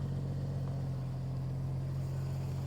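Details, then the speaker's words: Rolled-over Jeep Cherokee running before a 400-mile drive home in Canada, tank just topped off; even, steady low engine drone with no knocks, ticks or misses: normal running. "It sounds good. Let's hit the road."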